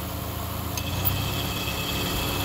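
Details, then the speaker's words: 2002 Subaru Outback at idle after a quick fix: the AC clutch spring rubber grommets were tapped in to close an oversized clutch gap. A sharp click and faint hum follow; the compressor clutch now engages every time. "2002 Subaru Outback clutch is engaged in every single time"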